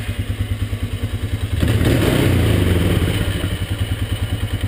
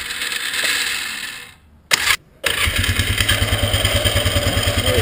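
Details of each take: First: 1998 Polaris Scrambler 500 H.O. after the starter bendix was cleaned, greased and reinstalled; it had been sticking on the flywheel and grinding: after cranking the engine catches and runs an even thudding beat about three per second; the starter engages cleanly. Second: 1998 Polaris Scrambler 500 H.O. starting: cranks and catches, then harsh metallic grinding over the idle as starter seems to stay engaged on the flywheel; owner suspects dirty or rusty starter solenoid/Bendix, not confirmed.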